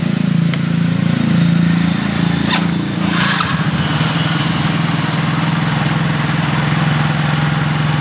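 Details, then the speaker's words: Yamaha Mio GT after replacing the fuel pump filter and servicing the throttle body, fuel pressure now over 40 psi (was 30; spec 42): smooth, even running with steady exhaust note, no stumbles or surging; normal running. "on jadi tekanan sudah mencapai di 40 lebih jadi motor ini sudah dalam keadaan normal"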